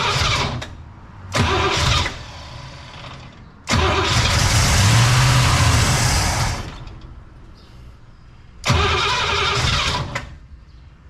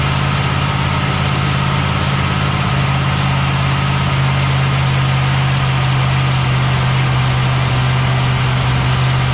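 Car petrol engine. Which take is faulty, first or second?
first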